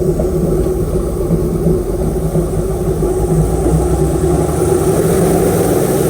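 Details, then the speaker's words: Airboat carburetor tuning after idle mixture adjustment: engine idles and picks up cleanly on quick throttle blips, no stumble or flat spot between idle and acceleration; carb transition sounds smooth. "all you're trying to feel for is if there's a flat spot between idle and Exel pry good"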